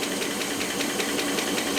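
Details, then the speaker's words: Rolls-Royce Silver Cloud III, running after a fail-to-proceed repair with a new coil; light, sharp ticking about five or six times a second over a steady idle, following engine speed; suspected lifter, noisier cold, unconfirmed. "it'll be noisier when it's cold but when it warms up it will get a little quieter a lifter is usually a little bit higher pitch"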